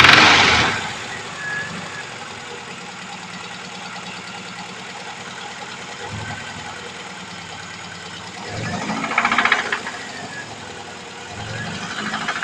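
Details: VAZ 2103 engine running with a light knock ticking about three to four times a second over the idle; the source of the knock is undetermined.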